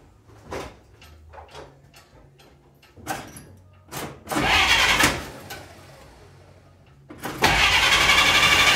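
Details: 1946 Dodge Power Wagon, first start after a tune-up with newly set points, having been hard to start: several cranks and brief catches, then it fires and holds a steady run; starts and keeps running fine.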